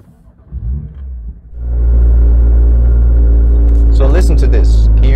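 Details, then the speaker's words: BMW M2 (N55) with M Performance exhaust on a cold start: the exhaust tips vibrate heavily for about 10–15 seconds, a low buzzing drone over the fast idle, audible outside; exhaust tip rattle. "for some reason the M performance exhaust heavily vibrates for about 10 to 15 seconds during a cold start and it produces these vibrating noise as you can hear"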